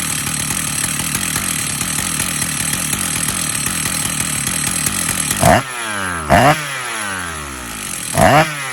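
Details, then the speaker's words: Stihl MS 880 chainsaw (121.6 cc, 2700 rpm idle, clutch engages at 3400 rpm): steady two-stroke idle with a metallic rattle, then three throttle blips; the engine runs smoothly, but the clutch is worn out and needs replacing. "Le bruit du métal que vous entendez, l'embrayage, Malheureusement, l'embrayage ne fonctionne plus. Il n'y a pas d'autre solution . Il va falloir le remplacer."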